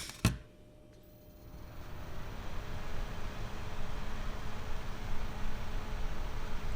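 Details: GVM PR 150R RGB LED monolight 12 V cooling fan, no resistor, baseline before inline resistor mod: steady airy whoosh with faint hum swells after switch-on and holds loud; fan at full voltage.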